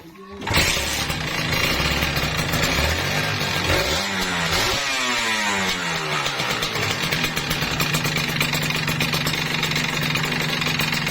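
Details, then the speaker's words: Kawasaki Ninja RR, before repair, whitened bore: the engine restarts after stalling and revs up and down with a hard metallic rattle over the exhaust note, severe piston slap from the worn bore. "Leteknya parah banget ya. Bagian yang letreknya itu ada di bagian sini ya, kedengarannya keras banget."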